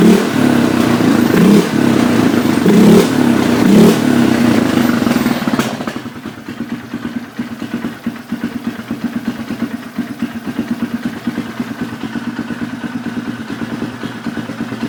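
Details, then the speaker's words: Polaris Sportsman 500 after carburetor rejetting: a few revs, then steady slightly soft, burbly single-cylinder idle around 1250 rpm; running a touch rich as intended, not fully warmed up. "1250 sounds like or it kind of sounds like it's running a bit Rich oh there goes my case but of course I'm expecting it to run a little bit Rich"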